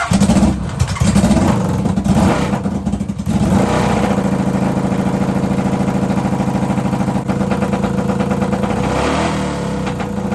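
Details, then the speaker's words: NasKart engine: rough, uneven idle with irregular pops and crackles through the exhaust between revs; it revs up fine but idles rough; misfire with exhaust popping, suspected to be from fuel starvation. "So that actually sounded like fuel starvation from the switch being off. So let's go ahead and try that again, because it was actually feeling good. And I just want to make sure that that popping and everything is from fuel starvation for the fuel pump being off and not for something else."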